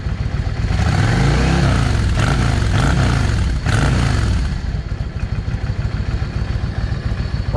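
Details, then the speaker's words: Yamaha V Star 650 V-twin, still cold, after changing carburettor jets from 22.5 to 25: rumbles and blips up and back down cleanly with no hesitation; major improvement in throttle response. "I got the motorcycle running. Uh, and it made a major difference. Now, it's still cold right now. Y'all hear the difference in that? No hesitation."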